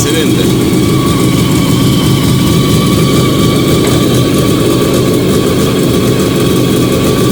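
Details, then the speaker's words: Fiat 125 (Bialbero) on CNG after fitting a new gas injector to the carburettor and the original air filter, just started. Steady, even idle with a smooth low rumble, no misses, knocks or hunting. Normal idle. "Arrancó. Ahora voy a tocar un poco la baja. Espero que se escuche. Ahí está. Anda espectacular, Anda muy bien."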